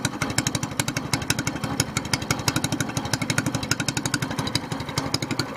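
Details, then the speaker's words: SPS Longtail mud motor, freshly built and still cold, running after its first oil change following a 3-hour break-in, now on 10w-30 Royal Purple synthetic with 2 oz BestLine. A steady single-cylinder popping of about three beats a second with no knocks; it runs fine. "yeah just seems to be revving a little bit smoother but you know need to clean need to get old denatured alcohol clean all that up"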